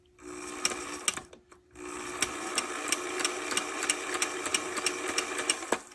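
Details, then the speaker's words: On30 model steam locomotive after wipers were realigned and a gear glued: light motor whir with sharp irregular clicks about three a second; owner suspects the moving rod/piston linkage is catching, still a slight clunk. "got of a click but I think it's coming from this you see this moving when it goes around what's that piston thing"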